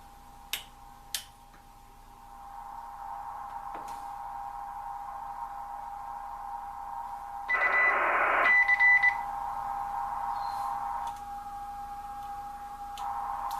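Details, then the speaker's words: Kenwood TS-940 receiver during a power supply upgrade. A steady mid-pitched tone with a harsh buzzy burst; this noise is heard mainly on CW. The owner suspects the power supply is not fully powered up, unconfirmed. "noise there now it could be because the power supply is not completely powered up"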